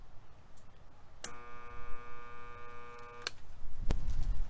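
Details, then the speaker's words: Estate-sale belt sander: a steady electric buzz starts and stops at the switch, but the motor won't spin up without a nudge; the failed start capacitor was replaced, after which it worked fine. "that means juice is coming to the device the motor is feeling the juice but it's just not starting up"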